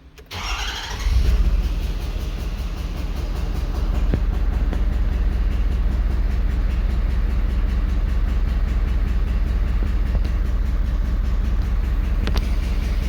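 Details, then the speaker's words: 2011 Ford Super Duty 6.7L Powerstroke diesel during power balance test: cranks, catches and settles into a lumpy, uneven idle; cylinder 6 low contribution from low compression, misfiring. "okay, we got a problem with number 6. It's hitting a little bit, or else it'd be clear down here, but that's definitely an issue there."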